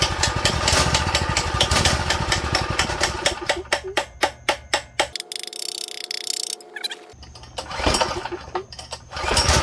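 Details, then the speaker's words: Go-kart small engine on fresh fuel after draining the old: quick popping beat slows, stumbles and nearly stalls before recovering; owner suspects idle too low and a carb problem needing jet, emulsion tube and main jet cleaning. "maybe it needs the maybe the idle needs to go up let me see we probably need to clean the Jets to be honest or like the emotion tube and the main jet that's probably all we need to clean but yeah that shows us that it's a carb problem so that's good"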